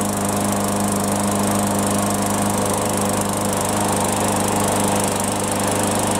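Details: Yard Machines mower after no-start repair, with fresh fuel and primed; steady, even small-engine drone with no misses, surging or stumbles; normal running.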